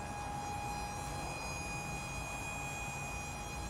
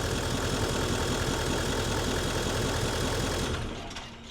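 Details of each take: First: Nissan Titan XD diesel during cranking with a full tank and low fuel pressure warning: steady high whine of the fuel lift pump over a low rumble, failing to build pressure; owner first suspected a failed CP4 pump. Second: Nissan Titan XD diesel pickup idling after repair, steady even clatter with the earlier pump howling gone; owner feared failed CP4 high-pressure pump and contaminated fuel system, but the real problem was another part, now replaced; normal idle.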